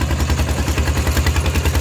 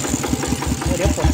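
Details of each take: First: Steel-wheeled diesel tractor ploughing a rice field with a loud replacement exhaust pipe: hard, steady thumping about 200 beats a minute under load, very loud and raw; an open, unmuffled exhaust. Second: Single-cylinder diesel on a steel-wheel rice-field tractor, fitted with a new loud exhaust pipe, idles steadily with loud even thumps about five a second, no surging or hunting. Normal idle.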